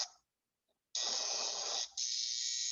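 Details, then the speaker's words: DC relay connected to 60 Hz alternating current: a harsh, rapid buzz that switches on abruptly, the relay vibrating at the supply frequency regardless of polarity; relay chatter on AC supply. "su uso se escucha vibra y este es el principio de lo que decíamos de la campanilla sonaba porque porque aquí está trabajando ya no con corriente directa y ahora es corriente alterna"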